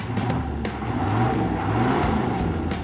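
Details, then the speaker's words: 1994 diesel Yukon: low, even rumble with no knocks or rattles, running smoothly and much quieter than before. "That even sounds pretty good. A lot quieter than it was."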